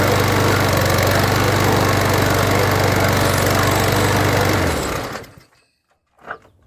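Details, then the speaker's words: Weedeater (Husqvarna/Poulan) mower with a hot-restart problem, after carburetor cleaning. The small single-cylinder engine runs at a steady, even pace with no hiss, then shuts down cleanly. Normal running. "I don't hear the hissing anymore. I don't know if it just doesn't get hot enough."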